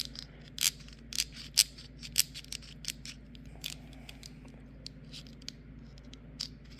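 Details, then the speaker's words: WARN/BRP XL3000 winch from a 2011 Can-Am 400 XT, gear set spun by hand: uneven dry clicks and scrapes from worn bearings in the primary drive gear set; planetary gears fine. "the bearings on this one are messed up you know the the there we go that's that sounds bad the bearings on this are pretty bad"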